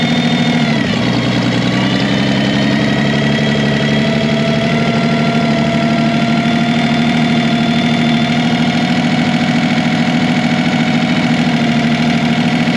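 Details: Revived Chevy inline six (230 or 250, uncertain) with formerly stuck valves and rusted cylinders, strapped down: it runs steadily but unevenly with an irregular thumping pulse and fluttering tone; rough running, and the engine floats the valves.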